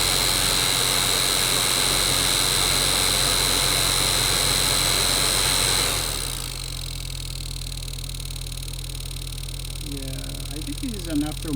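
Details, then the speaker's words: Toyota Prius Denso blower motor, sometimes not starting without a nudge, after cleaning and greasing: loud harsh rushing roar with steady high whine on high, quieter on medium; worn motor, needs replacement. "let see how consistent there's my fan is okay so so it [Music] runs but it's so noisy so that's medium"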